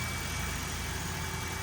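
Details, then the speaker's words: Toyota Corolla, 481,000 miles, idling after sitting 3 weeks in cold garage, settling toward normal operating temperature; smooth steady low hum, even idle, no knocks or misses, no oil or transmission leaks; normal warm idle. "engine seems to be settling down should be AC the normal operating temperatures"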